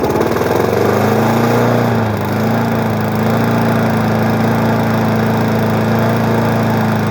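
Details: Small flathead single-cylinder engine on a 20-inch weed eater mower, woken up after storage: steady, even drone that holds speed without wobble or shake, normal running.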